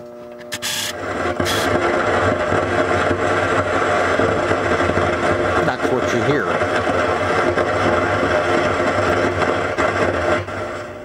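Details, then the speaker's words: 1980 Williams Scorpion pinball, original sound board with volume turned up, before repair: steady mains-type hum with irregular crackle and hiss. Faulty sound board causing hum and crackle. "one thing we got to do is take care of the sound and if you remember the last time we were looking at the sound if you turn it up"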